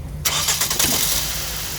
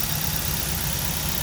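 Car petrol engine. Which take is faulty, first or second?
first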